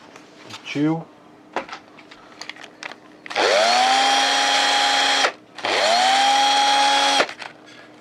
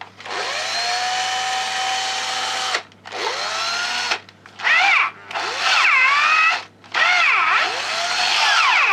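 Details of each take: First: Old cordless drill-driver connected to a finished homemade power supply built from used parts, replacing its dead battery: two clean bursts, motor spins up fast to a steady even whine and holds speed; working fine. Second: Old cordless drill-driver run from a homemade mains power supply (transformer, capacitor, used parts) instead of its dead battery: motor whine sags under load, clutch ratchets and slips at setting eight and the second-to-last; weaker than on battery.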